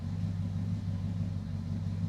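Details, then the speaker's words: Charger crew cab project at idle: a steady, even low rumble with no ticking. A lifter knocked two or three times at startup, then quieted; a plugged oil gallery is suspected. "She still starts. She still runs. I started it already today. But here, I'll let I'll show you. That lifter knocked for a second, but now it's fine."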